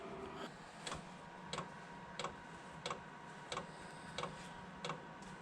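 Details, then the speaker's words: HCalory 8 kW diesel heater in a garage, startup on heat setting 6, muffler clamped on: soft, even dosing-pump clicks about every two-thirds of a second over a low fan hum. It quiets once the heater ramps up. Normal fuel pump ticking. "That pump is not loud at all. And it quiets down. Once everything ramps up and stuff, you won't even hear it."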